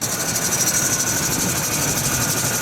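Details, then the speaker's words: Engine running with a constant shrill, pulsing squeal riding high above the motor from a slipping serpentine belt, a problem the owner has had for a few years. "hey everybody Welcome to Alex's garage and in this episode we're going to be dealing with well the dreaded belt squeal"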